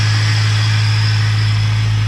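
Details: V8 SS at temperature during a heat cycle after a coolant leak repair, with no leak where it used to leak: a deep, even idle and steady low rumble with no knocks or misses.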